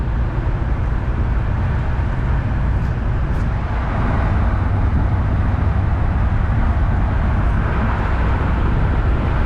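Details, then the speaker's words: 1966 Ford Galaxie 500 convertible V8 after carb rebuild and fast idle set to 1250 rpm, cruising about 60 mph: deep even rumble under road and wind noise, no misses or knocks; smooth, healthy. "like a dream drives like a brand new car i really like driving this car sing just likes the cruise man just smooths out at 60."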